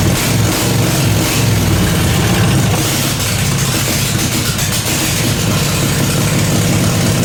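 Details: Briggs & Stratton 16 hp 479cc Vanguard V-twin in an off-road go-kart, straight-piped, after carburetor deep-cleaned: loud even steady idle thump, no stumbling or hunting; runs really good.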